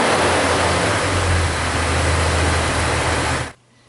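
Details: 2000 Jeep Cherokee Classic, 4.0L inline six, about 130,000 miles, after misfire repair with codes reset and misfire monitor at zero: steady, even idle with no skips or stumbles before shutdown; normal idle.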